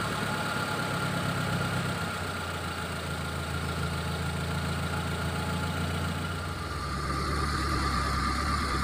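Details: Injected T120SS after repair of fouling spark plugs, high fuel use and white exhaust smoke and an engine teardown, test run: steady, even idle with a smooth low hum and no knocks, misses or ticks; running clean.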